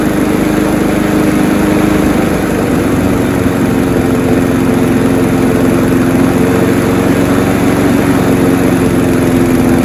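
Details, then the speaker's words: Honda HR173 push rear-roller rotary lawnmower after a detailed carb clean and service: smooth steady idle on choke with an even beat and no misses; it revved high on start, which these all do; runs normally. "So as you just seen, everything is all good. When it revved up high when I started it, they all do that."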